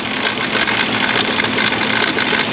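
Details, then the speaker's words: Kia Sedona running rough with one bank misfiring badly, four quarts of oil just added; harsh, steady clatter with faint whir — tensioner suspected, but noise persists and a failed cam phaser is concluded as the cause. "so let's get under the hood and when it's making that much noise I'm leaning more towards a phaser than the solenoid that noise might be the tensioner cuz the engine misfiring so bad on that bank"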